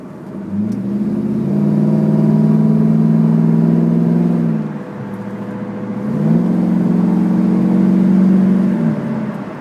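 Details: Camaro while driving: droning hum rising with road speed, easing off, then climbing again; possibly a bad wheel bearing, unconfirmed.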